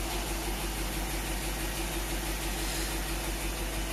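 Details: Willys truck, first start after a rebuild and 12 months sitting, cold day, no check engine light: steady, even idle with a smooth low hum, no misses or knocks, running on all cylinders; normal idle.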